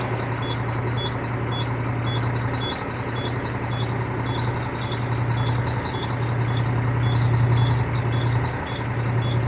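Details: Cummins ISX 870 diesel truck at idle after injector replacement and overhead adjustment, air connector off, fan running; slightly uneven low thrum with a faint periodic stumble under a ticking chirp; still sounds like a miss.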